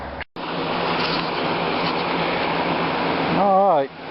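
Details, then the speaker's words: Trash-picked 2020 Lasko Wind Machine floor fan on high after servicing, now turning smoother. A steady airy rush with a low hum. The blades are slightly off balance, giving a little vibration, but it runs okay. "Alright, it seems to be running okay. Blades are a bit off balance. It's got a little vibration to it, but I don't really know what I could do about that, if anything."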